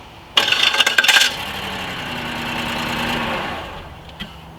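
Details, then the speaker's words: 2008 Buick Lucerne 4.6 Northstar V8 with a severe misfire and hard starting: crank with a harsh rasping grind, as if the starter engaged while the engine was running, before it settles to a rough idle. "And that noise make me feel like I'm like, was somebody hitting the starter while like the engine was already on?"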